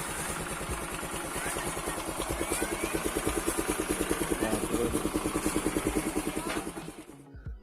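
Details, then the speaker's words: Honda Vario scooter engine with a coarse, choppy growl pulsing about three times a second, described as rough snoring like a helicopter, before repair; traced to a loose air filter screen in the intake. "ini ada motor dengan kendala suaranya itu enggak halus jadi kasar atau ngorok seperti helikopter atau suara kasar lah kayak gimana gitu teman-teman bisa bedakan aja ini kurang lebih suara sebelum dibenerin"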